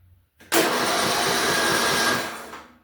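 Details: Small power-equipment engine with the spark plug removed, electric start drawing about 4–5 A while the battery holds around 12 V. Brisk, even starter whirring for about two seconds, strong and steady. Cranking is normal.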